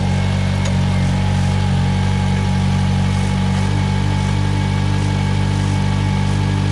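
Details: 2008 Mitsubishi Lancer after a new water pump, thermostat, coolant hoses and an oil change, idling while the cooling system bleeds with the heat on full: a steady, even low drone with no knocks or misses; healthy idle.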